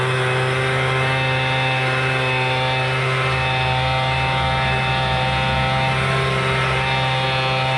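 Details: MTD Bolens BL125 two-stroke leaf blower after carburetor repair and adjustment, previously bogging and not starting: steady even buzz at high throttle with no stumbling or dropouts; running clean.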